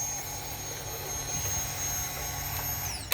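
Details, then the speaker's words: Kawasaki Ninja ZX10R at key-on after fixing a connector pin that cut fuel pump power: steady high whir for about three seconds, then winds down; fuel pump now priming normally. "you don't know how [ __ ] good it is to hear that [ __ ] noise after you spent like three weeks trying to fix it"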